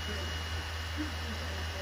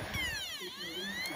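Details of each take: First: PS4 disc drive after cleaning: quiet steady spin with faint high whine and low hum, no hesitation like before, decent speed; reads the disc normally, fix successful. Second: PS4, up-to-date software, clean unscratched disc inserted: thin whirring tone sweeps down and back up as the drive hunts for speed, never settling; disc not read, fixed by cleaning the dirty laser lens.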